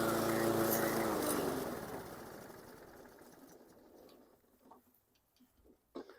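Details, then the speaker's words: 2014 Troy-Bilt TB130 push mower, cold start, running rich with black smoke as the automatic choke stayed closed: even beat, then winds down and dies on its own within about three seconds with fuel still in it; stalling suspected to be an automatic choke issue. "that wasn't good it quit out on its own and it still got fuel in it so when you heard it uh start it was running rich"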